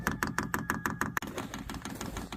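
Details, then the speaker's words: Vevor 8 kW diesel heater (newer model), first-time priming started by holding the down key 7 seconds: sharp, evenly spaced fuel pump ticks about six per second, then softer patter; ticking not as loud as expected; normal priming. "Oh, there it went. That ticking ain't bad. I thought a lot of videos it sounds like it's just crazy loud."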